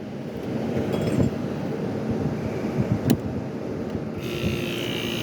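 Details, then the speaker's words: 1973 GM Frigidaire 11,600 BTU air conditioner, corroded with debris, on fan only: steady rushing air, even low fan hum, no rubbing or rattles; normal fan-only operation. "does just have a standard plug on it that's fan only boy is there a ton of blowing out of"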